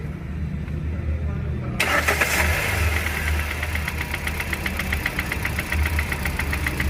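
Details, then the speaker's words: Hyundai Grand i10 petrol Kappa engine, just started: idles with a steady light tak-tak tapping, two or three per second, from inside the engine; cause unknown, engine to be removed for inspection. "टक टक टक टक टक की आवाज आ रही है इसके [संगीत] अंदर यह आवाज है इसके इंजन के अंदर"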